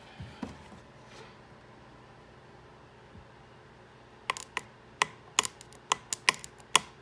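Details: Clicking on a no-start, 1995 Sea-Doo GTS personal watercraft: quiet at first, then a run of sharp irregular clicks about once a second with no engine catching.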